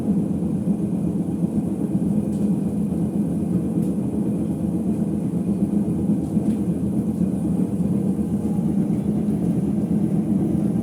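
Deep steady droning rumble throughout the spin with no clean hum underneath, typical of worn drum bearings.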